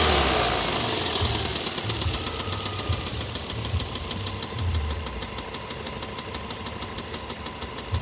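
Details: 2005 Toyota Avensis 1.8 VVT-i petrol engine with a steady, sharp knock about three a second riding over the engine note, clearly noticeable above 1500 rpm.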